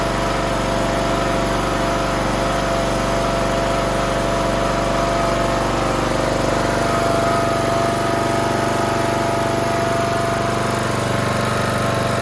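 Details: Toro Z420 TimeCutter zero-turn mower with swapped motor after fitting a conversion carburetor: steady, even single-cylinder putter at constant speed with no misses or knocks; healthy smooth idle.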